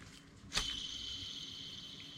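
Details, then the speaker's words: Original Lexus LS400 idler pulley removed during belt and tensioner replacement, spun by hand: a flick starts it, then a thin high whirring hiss coasts loose with no resistance, unlike the quiet, stiffer new one; worn idler bearing. "y'all can hear that so that's a bad bearing on a new one you try to spin it you don't hear anything and you actually got more resistance too"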